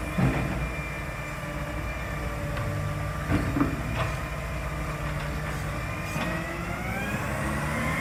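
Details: Marion garbage truck SL01300 diesel after exhaust leak repair; steady drone under work, air-brake hiss, rising whine as it pulls, no exhaust ticking or puffing; normal running.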